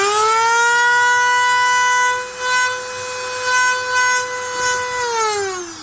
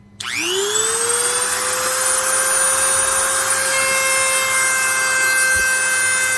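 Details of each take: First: Dremel rotary tool running with steady whine and harsh raspy buzz, then winding down; motor field has worn into the plastic housing and vibrates loose, quiets when housing squeezed; fix is shimming the field. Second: Dremel rotary tool after repair: spins up to a steady high whine and runs smoothly with little buzz; the loose motor field, which had worn into the plastic housing and vibrated, was shimmed with soft rubbery washers.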